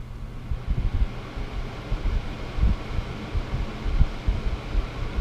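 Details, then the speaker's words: Corsair H110i cooler with ML140 Pro fans replacing stock fans, switched from quiet to balance to performance mode: soft even air rush, no motor whine or ticking, no louder on performance; unlike previous fans' motor buzz under load. "That sound right now is all fan. And now it's on performance. It did not get any louder. All I'm hearing is the air."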